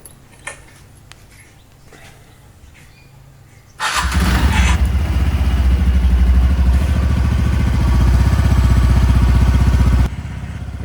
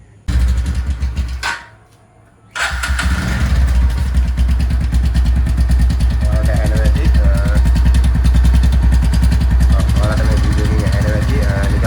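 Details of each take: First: TVS Ntorq scooter after repair of a recurring engine noise: catches at four seconds and settles into an even low idle putter with no knocks or rattles; the noise is gone. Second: TVS Ntorq scooter engine, after an earlier starter clutch repair, catches after a short crank, then idles with an uneven rough pulsing beat; owner says it is not the starter clutch this time and suspects the head or engine.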